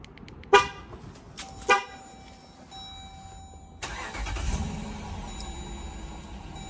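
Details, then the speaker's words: Dodge Durango after fixing code P0113 (which had disabled remote start) by cutting and reconnecting the faulty brown and blue wires: a couple of short chirps, then the engine catches quickly and settles into a steady idle; normal clean start, engine light gone. "engine light is gone car started without a problem so that"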